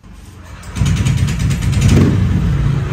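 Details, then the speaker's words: Bored-up scooter on the stock ECU with a larger 180 cc injector, before BRT Juken 5++ ECU setup. It starts quickly and settles to a steady, even low drone with a light rev blip, a normal start. "ini nyala ya normal kan ya"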